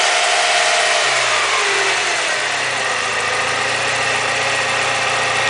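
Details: BMW E36 M42 engine after timing chain replacement: revs settle from a blip to steady idle with thin metallic rattle and whine on top; abnormal idle noise, cause unclear.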